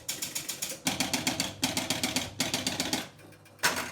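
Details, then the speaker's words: Gottlieb Sure Shot electromechanical pinball after repairs, inserts reglued, playfield cleaned, rubbers added: quick bursts of six or seven crisp clicks with short pauses as the bonus counts. Normal bonus count. "bonus counting correctly so i believe this is good"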